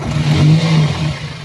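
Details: Toyota Altis with noisy fan belt and worn tensioner: after replacing the belt, the engine revs up and settles with an even low hum, no belt squeal.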